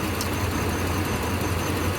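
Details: 2005 Dodge Ram 4.7L V8 with a constant cylinder 3 misfire persisting after coil and injector replacement; low rumbling idle with an uneven, lumpy beat and occasional stumbles, a steady single-cylinder miss.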